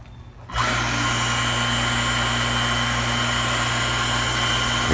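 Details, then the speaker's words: Water pump after repair replacing two defective 6201 bearings, switched on once air was bled from it: spins up to a smooth steady hum, no longer noisy; normal running. "Sige daw nak, on. Wala nang ingay."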